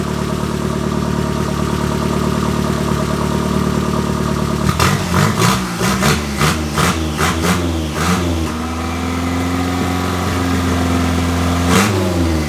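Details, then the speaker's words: KA24E engine (from 1993 Nissan D21, about 230k miles) in turbo 240SX S13 after head gasket replacement, base timing reset: even idle, then quick throttle blips rising and falling cleanly; normal idle and revving. "It was a little bit of a battle, but we got the timing set. We had to go back into the settings into micro spurt and reset base timing. It's all good now."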